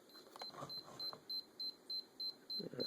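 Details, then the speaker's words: Sony camcorder with new tape in record mode: rapid run of high, even beeps about three per second, will not record or play tape; error cause unclear. "flip it back now okay now it's back to record mode just beeps and you can see the little uh symbol there"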